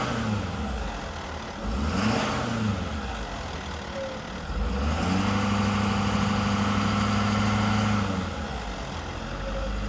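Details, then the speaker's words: 2015 Ford F-550 service crane utility truck with PTO engaged, idling up: fast, uneven rattling chatter over the engine, the normal PTO gear chatter common to these Fords. "Now this truck does have the PTO chatter like all these Fords do. I've got 20 of them here that do the same exact thing. It's the PTO chatter, and we have a"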